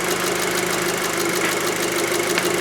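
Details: 2006 VW Passat 2.0T after repairing a broken fuel rail pressure sensor signal wire at the six-pin connector (P0190, lacked power): steady, even idle with smooth hum, no knocks, misses or hunting; 50 bar rail pressure, healthy idle.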